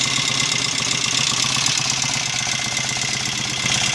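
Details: 750 Royal Enfield Interceptor MK1 twin after carburettor work (had kicked back and run on one cylinder; 25 pilot jets, 380 mains, mixture screws rebalanced): even steady idle, regular fast pulse, no spitting, misses or hesitation; running cleanly.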